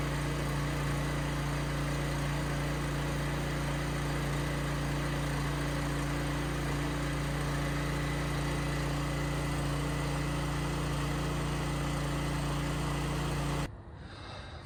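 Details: Coleman Powermate 5000 generator after maintenance with a new spark plug, started on choke: settles into a steady, even hum with constant low pitch, no knocks or surging; runs smoothly.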